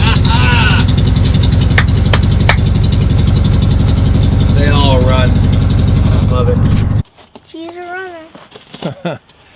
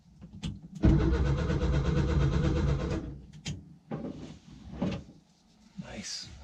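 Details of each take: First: 1966 VW Westfalia SO42 split-window bus, off the road since 1987, running after static timing: steady even low thrum about four beats per second, no misses or knocks; clean normal idle. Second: 1966 VW Westfalia split-window bus sat over 30 years, first start attempt, cylinders pre-oiled, newly wired ignition switch: steady, even cranking pulses about two seconds, never catches; owner thinks no spark. Cranking no-start.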